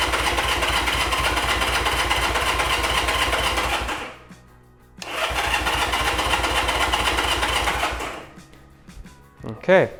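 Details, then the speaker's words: 1975 Honda CB200T, first start attempt after reassembly and new fuel filters, on choke: two bursts of fast starter cranking about four beats a second, never running; spark is strong, so fuel is not reaching the carburettors. "Oh yeah, we got plenty of spark there. Plenty of spark. >> What I think we're just not getting is fuel."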